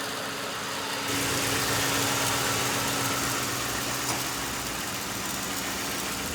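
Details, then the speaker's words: 2005 Ford Crown Victoria Police Interceptor, 149,000 miles, sat about a year with suspected bad fuel pump: steady, even V8 idle with accessory hiss and AC compressor engaged, no knocks, misses or surging; engine sounds good. "Engine sounds good. AC compressor engaged."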